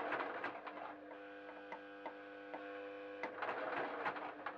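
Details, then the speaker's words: Sewing machine stitching slowly while the operator rests a foot on it: thin steady hum with buzzy overtones under slow stitching thumps, the motor complaining and strained. "I do have a bad habit of resting my foot on the machine, and I'm sure you can hear it. That's a complaining noise. When I do that, it doesn't like it."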